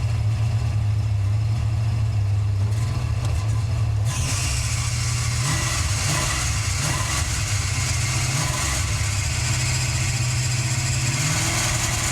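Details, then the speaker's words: Car after distributor replacement and fuel priming: idle hunts and runs ragged with harsh hiss-squeal from front drive, belt smoking; owner suspects bad alternator dragging the belt and engine, distributor ruled out; not confirmed. "you guys could hear it still running raggedy I'm sure it has something to do with this alterator"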